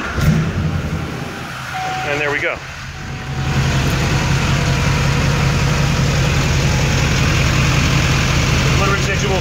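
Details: Diesel truck after FASS Titanium Platinum fuel filter replacement and priming: brief crank, then steady low diesel clatter holding an even idle without stumbling; normal idle.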